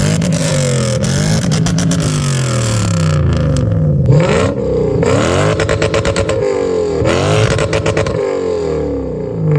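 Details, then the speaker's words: Toyota Soarer 1UZ-FE 4.0-litre V8 after an X-pipe and louvered-core resonators were added: several rev blips rising and falling cleanly with no droning boom, smooth and balanced. Normal exhaust note. "That's this video done and dusted. Finally the exhaust sounds how it should. Nice and quiet without disturbing the neighbours."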